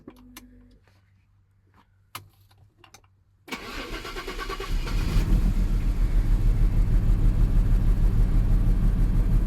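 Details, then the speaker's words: Jaguar XJS straight six (3.6 or 4.0) starting after no-spark was cured by wiggling wires near a suspected bad ignition control module connection. It catches and idles with an uneven, stumbling misfire; a tap on the seized injectors later smoothed it. "I don't know what's going on I had no spark and then I I wiggled all these wires and I now do have spark so there's obviously a very bad connection somewhere around here"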